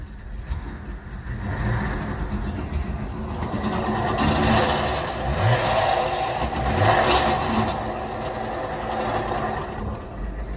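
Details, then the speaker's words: 2007 BMW E60 525i, about 65,000 miles, in drive: revs rise and fall over a harsh rattling driveline whir while the car won't move; customer heard humming then loss of drive, suspected failed rear differential. "the customer complaint is he was driving hearing like a humming noise and then essentially stopped like it just wouldn't drive anymore"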